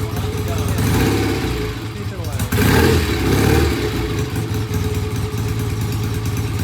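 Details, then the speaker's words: Vintage BSA twin that would not start for its owner, kicked into life; lumpy uneven idle with stumbles and surges, needs pilot jet cleaning and idle mixture setting. "okay so it needs some adjusting we'll go through the uh the uh pilot jet cleaning and uh check the uh idle settings and sounds a little rough"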